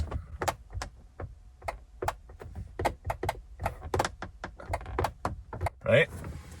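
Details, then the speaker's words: 1998 Corvette C5 driver's door: sharp dry clicks each time the window switch is pressed, no motor hum, window does not move; power reaches door and switch, so owner suspects the window motor's points or a motor needing a jump start. "so as power get into the door that's not the problem the problem is that the probably the points in the motor or the motor needs a little jump start in some shape or form"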